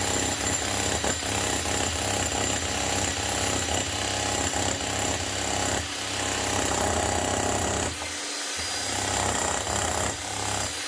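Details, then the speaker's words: Bosch GSH 11 E 240 V demolition hammer after repair with an aftermarket AliExpress copy armature and fresh grease: strong, steady blows at three to four a second with a nice slap over a smooth motor hum; hammer action normal. "So you got a nice slap here now. Nothing wrong with that."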